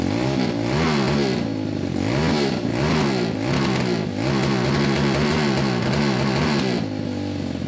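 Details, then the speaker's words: Homemade 190cc go-kart after rewiring and carb needle lowered (leaned out): revs up hard, then repeatedly stumbles and drops back a few times a second, cutting out around 7000 rpm; suspected carb/fueling issue. "it's two stepping at like 7000 RPM now yeah yeah so I think that that could be a carb"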